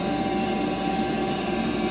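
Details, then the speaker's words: 10-year-old Heil gas furnace inducer (exhaust blower) running in 20–30 below zero weather after its gasket was replaced: a steady high-pitched whine, audible upstairs, over the airflow rush. Owner suspects the inducer is failing and is replacing it. "making a whining noise I can hear it upstairs I can hear that thing so I'm going to get to it pull that thing out put a new one in see what happens"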